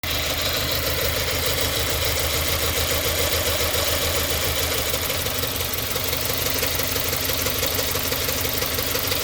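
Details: 2017 Subaru Forester XT idles shaking and surging with an irregular stumble, codes P0300, P0303 and P0017. The misfire persisted after new plugs, coil checks, throttle, EGR, MAF and MAP cleaning, and a new air filter.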